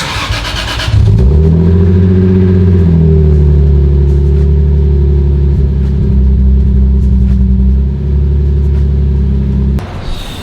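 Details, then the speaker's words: 2003 Lexus IS300 (2JZ-GE inline-six) at startup before a spark plug change: catches and settles into a lumpy idle with an uneven, stumbling beat, a misfire; cylinder unknown, no scanner, plugs suspected but not confirmed. "you can hear the misfire you can hear what it sounds like because it doesn't sound that great"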